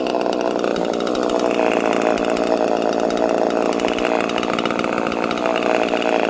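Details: Homelite chainsaw with no decompression valve, untuned and in mint condition, at fast idle. Steady buzzing two-stroke drone, even and unbroken with no surging or stalling; healthy normal running.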